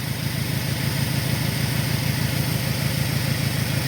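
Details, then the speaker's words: 2002 Saturn SL idling, ear near cylinder one: steady idle with slightly uneven low pulse about twice a second and faint hiss; suspected vacuum leak near cylinder one, injector balance and scope checked fine. "but one thing i did notice in the whole time i was working here is i could hear what sounds like a vacuum leak and the closer i put my ear so right in this area where cylinder one is at"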